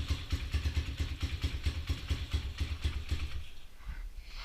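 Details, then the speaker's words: Honda XR200 single after rebuild with new transmission and other new parts, nearly out of gas: steady evenly spaced thump at idle, softening toward the end; normal idle, running healthy. "I'm not going to complain with the way that sounds. I believe we're about out of gas."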